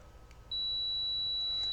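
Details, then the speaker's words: Cen-Tech 61593 digital multimeter fuse continuity check: a steady, high, unbroken beep starts as the probes touch, reading near zero, showing continuity and a good fuse. "It's telling me by that tone that those are connected together."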